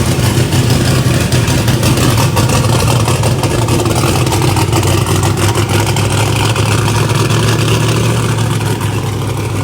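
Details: Race engine, 13:1 compression iron block, first start after fixing swapped MAP sensor ground and reference wires: loud, deep, choppy steady fast idle with no misses; firing cleanly on all cylinders, normal running.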